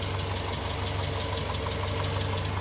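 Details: Naturally aspirated 2.2 EJ22 at 117K miles, cold idle on a very cold day, check engine light believed to be an O2 sensor: a light, quick, even tick over the steady hum, a mild valve tick.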